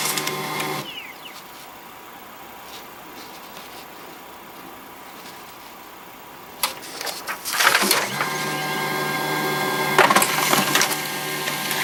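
The printer whirs into motion and a high, thin squeal runs with the moving rollers while it prints; a squeak from the feed mechanism.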